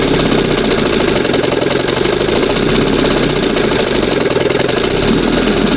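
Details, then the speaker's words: 1971 Johnson 20 hp two-stroke outboard, throttle opened slightly, warming up: steady busy rattle at even, slightly fast idle, no misses; owner says a little much and still a bit funky but sounds good; idle slightly high. "It's going to be a little much. Heat. Heat. Still a little bit funky here, but sounds good."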